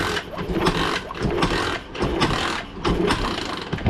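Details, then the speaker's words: One of two pit bikes sitting unknown years (Baja Dirt Runner 50/90 or SSR 72cc), hand-kicked: uneven turning-over bursts about once a second, never firing; no start from no spark, restored by disconnecting the bike's original kill switch. "all right looks like I'm going have to check the stator kill switch all that crap so I'll be right back all right check it out we got spark now all I did was disconnect the kill switch that's on the bike originally"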